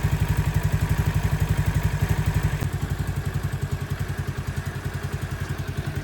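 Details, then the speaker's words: CT70 clone with Nibbi carburetor after richer pilot jet, not fully warmed up, idle set by ear around 1,200 rpm while tuning the air screw: steady thumping, revs pick up smoothly with no bog. "Well, not fully warmed up, but no bog. I like it."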